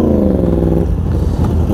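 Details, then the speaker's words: Yamaha R1 at idle, loud lumpy off-beat "dhrut dhrut" burble breaking into a clattery rumble; the uneven sound is the R1's normal uneven-firing character, running well today. "यसको आइडियलको आवाज कस्तो uneven छ क्या।"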